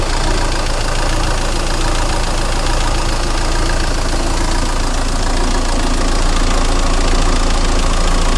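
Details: 2000 Renault Laguna 1.9 dCi 110 hp (B56W) with 240,000 km: the diesel idle swells and sags at a steady beat, and the rpm also oscillates under light acceleration. Rough idle caused by a faulty fuel pressure regulator valve on the high-pressure pump, fixed by replacing it with a new Bosch valve.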